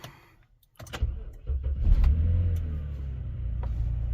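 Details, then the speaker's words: BMW X5 E70 first start after replacing both VANOS solenoids for rough idle and drivetrain malfunction warning; engine catches after brief crank and idles smoothly with even low rumble, no stumbling. "oo look at that that bad boy running let's see oh yeah it's running smooth guys"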